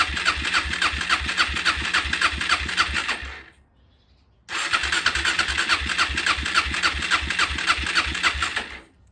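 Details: Suzuki LTZ 400 ATV (believed 2004), sat five years, after idle adjustment with air filter and airbox off: the small single-cylinder engine settles into a quick, even putter, is briefly cut and restarted, and idles cleanly. Normal idle.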